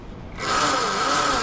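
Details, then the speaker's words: Yozma IN10 e-bike at about 300 miles, after fixing a chain tensioner problem that caused chain stretch and a racket; throttle applied. Motor whine climbs to a clean steady tone with light, even chain hiss; normal drivetrain. "All right, we're gonna show you what it's supposed to sound like."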